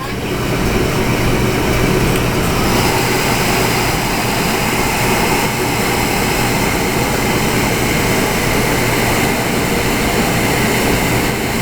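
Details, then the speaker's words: Oil-fired hot water heater burner restarted after bleeding air from the oil line: steady loud roar with constant low hum and no surging, sputter or pulsing from inside the chamber; burner firing normally. "You're gonna hear the burner fire inside the chamber."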